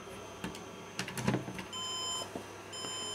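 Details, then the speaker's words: HP desktop motherboard powered on without CPU: after handling clicks, short high even beeps (three) as POST code for missing processor; board itself faulty, CPU overheating. "c'è un Power on Self test che dice cose perché se io la accendo porco porco senza la cazzo di CPU lei mi bippa"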